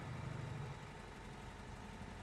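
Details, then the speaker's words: 1961 Volkswagen 23-window Microbus Deluxe, air-cooled flat-four with a 6-volt system, cold start in neutral: starts first try and settles into a quiet, steady, even idle with no misses, ticks or knocks, with a chain sound as revs rise. "turns over on the first try sounds good you can hear that nice idle and then you can hear that chain sound as it gets higher in the rpms"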